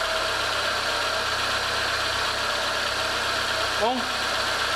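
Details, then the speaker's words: 2015 Renault Logan idling after timing belt replacement and reassembly: even steady idle hum, no valve ticking; mechanic says the camera mic makes it sound shriller, which is normal; runs healthy. "sozinho ficou beleza a câmera microfone vai captar um sempre mais estridente tá isso é normal"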